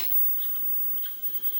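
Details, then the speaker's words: Arcade Sea Wolf cabinet: steady hum with thin high whine in the speaker from the black-light fluorescent's magnetic ballast transformer, probably original and suspected failing; ballast buzz. "But it is making a horrendous noise for the speaker. And I think it's that transformer right there is the transformer. And I think that transformer might be going bad, but it's probably original."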